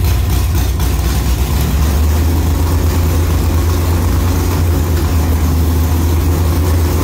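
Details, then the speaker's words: 1957 car "Bad Penny" converted back to a four-speed with 5.57 gears and a new combo, being tested; deep steady V8 rumble with the engine note stepping up slightly in a few beats; shifts go through cleanly with no clunk or grind. "I can hear the engine speed come up as it goes boom boom boom like it you can't even hear the shift with you the engine speed your foot's the same but you can hear it speed up a little bit"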